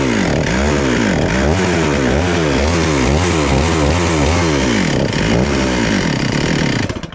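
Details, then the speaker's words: Stihl MS441 chainsaw with 145 psi compression, idling warm after a cold start; idle surges and sags about three times a second and won't settle, needs throttle feathering and sounds lean; erratic lean idle. "so it's idling really erratic when it's warm and i gotta feather the throttle it kind of sounds like it's running really lean and that's probably what's going on"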